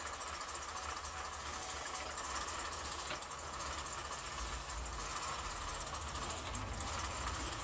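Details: 2008 Chevrolet Suburban, first start of newly installed engine after 5 or 6 tries: quiet, fairly even idle with low steady hum, no obvious knock or miss; normal idle.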